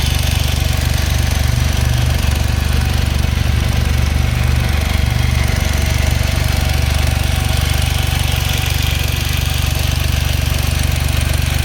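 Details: Smart Roadster petrol engine at steady idle with sharp, even top-end clacking ticks about four per second; owner asks if normal, suspects valves or timing chain.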